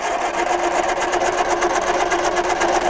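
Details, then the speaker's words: 1978 Triumph Spitfire 1500, sat for years, cranking with a spark tester fitted. The starter cranks evenly at about four beats a second with a steady whine, but the engine never catches; the tester confirms no spark. "no no spark what a Wally so it didn't bark off the time before at all"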